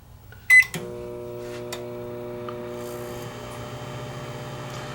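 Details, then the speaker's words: Panasonic microwave oven after repair, heating a cup of water for 30 seconds, drawing 14 A, 1.6 kW at 115 V: keypad beep then steady even hum with fan, no buzzing, arcing or rattles; working normally. "But it's working. I say I'm only heating it for 30 seconds, so this will just make the water a little bit warm."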